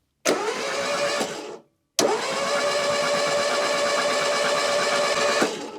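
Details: Citroen BX 4WD barn find, not run for about 13 years, with ECU electronic ignition, after a new injector was fitted and fuel pressurised: two spells of steady starter cranking that never fire. No spark; the crankshaft position sensor is to be checked next.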